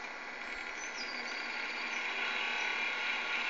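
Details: 3-year-old Xbox, noisy for about 8 months, later shut itself off: continuous airy whir with thin high buzz slowly swelling, intermittent; cooling fan buzzing.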